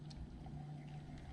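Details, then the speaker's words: Yamaha YZ300 two-stroke rebuild, bottom end assembled, crank spun by hand with clutch off: low smooth even hum with no knock or grind, so the noise is not from the crank bearings; the noise is from the transmission, believed dry. "our noise disappears the sound is not coming from the crankshaft which is good news and confirms that I didn't damage those crank bearings when installing them"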